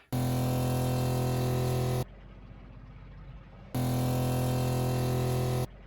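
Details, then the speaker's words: Seaflo 33 series water pump replacing a Shurflo, recorded outside the closed cabinet: soft, low, steady hum in two-second bursts as it cycles, far quieter and lower-pitched than the Shurflo, filling the accumulator quickly. Normal pump running. "Well, talk about a big decibel difference. This thing is much quieter, and it seems like the sound is actually much lower frequency than the other one."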